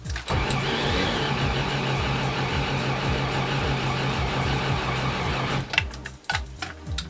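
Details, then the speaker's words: Toyota FJ40 Land Cruiser cranking after carburetor pumped: steady rhythmic starter drone about two beats per second, almost catches but never runs; better-sounding attempt than usual, same no-start issue persists. "Okay. Well, that was a better sounding start than before or than it usually has in this condition. It did kind of like jump like it wanted to turn on, but it didn't."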